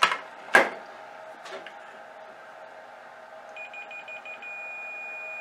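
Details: Yamaha HTR-5840 AV receiver with no subwoofer output (only hum): probe clicks, then a steady high meter beep showing continuity from the subwoofer output ground to another connector ground.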